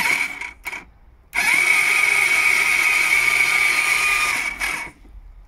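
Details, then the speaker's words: Honda ST1300 with alternator and starter motor replaced, new battery, starter solenoid bridged directly: steady high whirring spin-up about three seconds then dropping off — starter and solenoid okay, engine turns freely; fault electrical. "Well, that's a good sign. So we know it's electrical. Starter solenoid is okay. Starter motor is okay."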